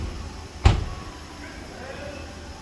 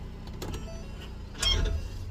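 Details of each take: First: 2020-2022 Ford Explorer police unit, rear axle after repair instead of CV axle replacement, phone held near axle: knock and clunk, suspension grunt, brake squeal from galled shiny rotors; metallic ting gone. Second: 2020-2022 Ford Explorer police vehicle, rear, pulling away after shifting park to drive; single sharp metallic ting with dull thump amid suspension grunting, rear CV axle splines binding then letting go; fix planned without replacing CV axles.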